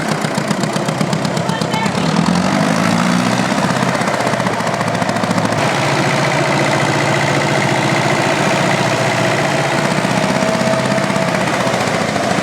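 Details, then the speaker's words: Vintage tractor diesel with uneven, lumpy beat and hollow missing pulse, not pulling right; misfire, sounds off a cylinder, mechanic suspects a stuck injector, engine rebuild discussed. "But this that tractor is off a cylinder. It's not going right there."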